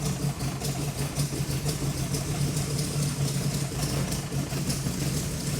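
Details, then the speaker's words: Freshly rebuilt V8 in a 1979 GMC C35 idling, timing about 8–10° BTDC, great oil pressure, 13 V from the alternator: a smooth, even low rumble with no knocks, ticks or misses. Healthy. "And uh it's running real good. Sounds nice."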